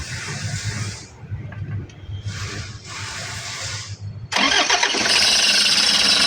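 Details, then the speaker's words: Toyota Hiace, engine cranks and catches, then a constant high chattering squeal rides over the idle; belt is new and no battery warning light, pointing to a worn alternator pulley bearing. "Ah kadalasan sa mga to mga boss ah alternator pulley na yung may umpisa kita pang bernardes eh."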